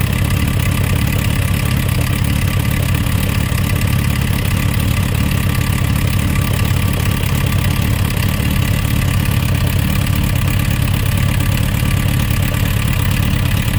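Steady idle with a light, uneven ticking knock over the engine note throughout; some internal knock at idle, source not pinned down. Cause suspected, not confirmed.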